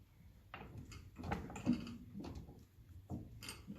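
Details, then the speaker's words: 1957 Ferguson 35 TVO tractor: irregular metallic clunks and rattles as the steering is shaken, from a worn radius-arm ball joint with free play; fix is shimming with sheet metal. "you'll hear the rattle. So I'm going to take that out and I'm going to put in a bit of metal in behind it, and that'll take the free play out of it."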